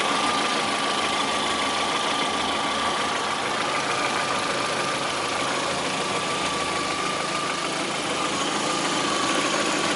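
Steady idle with a light, fairly quick tapping, about three per second, riding on the hum; it is an idle knock of unknown cause.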